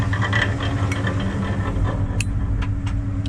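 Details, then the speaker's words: LS GU 4x4 after trail damage (snapped axle shaft), in first gear with the wheel off. Uneven rattling and clatter over a steady drivetrain hum; the unbolted brake rotor is flopping around, and it should be fine with the wheel on. "i'm so stupid i know what that is because the wheel's not bolted on and the freaking rotor's flopping around"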